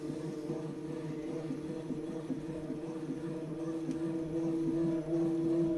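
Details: Tacx Neo smart bike trainer, out of the box after its second replacement, gives a steady droning hum with a soft, regular thump about two to three times a second.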